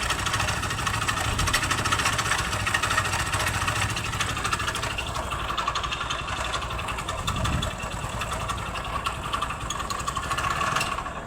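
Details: Hero Splendor motorcycle engine idling after start: a rapid, heavy knock that rises with the revs; the noise comes from the crank area, a worn big-end bearing on a loose connecting rod.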